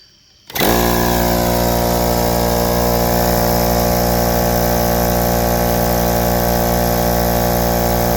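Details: Husky 516-052 33-gallon 1.7 HP air compressor (start capacitor 0.477 MF, run capacitor 49.8 uF) started from 0 psi with a clamp meter on the wire. The motor kicks on and drones at a steady, loud, even pitch. It normally runs 30 s–1 min, drawing a little over 12 A, then cuts out near 11.39 A. Owner suspects a thermal or amperage overload switch.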